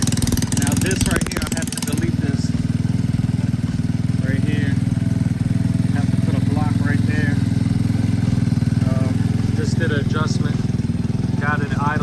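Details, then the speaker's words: Boom Vader Grom clone small single with newly installed Mikuni knockoff carburetor, adjusted to idle around 2,000 RPM; steady fast idle with even beat, no stumbling or surging, carb seems set right. Normal idle. "it idling at around 2,000 RPM. That is where we have to be."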